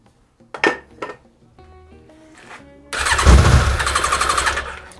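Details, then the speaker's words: Yamaha XJ 600 with a new battery, fed from an auxiliary fuel bottle with starter spray and choke: the starter cranks, then the engine briefly catches in a rough burst and dies away; no start, more fuel needed. "come on that sounded good that sounded like a start need some more fuel in this bottle though"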